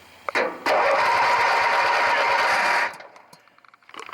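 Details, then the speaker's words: Craftsman 18 hp opposed-twin riding mower that wouldn't crank on the key, new battery: solenoid struck while key held, starter whirs steadily about two seconds then stops. Took a few hits; starter solenoid judged sticking and the culprit. "took a few hits the second time but that's telling me that pretty sure that the solenoid is the culprit"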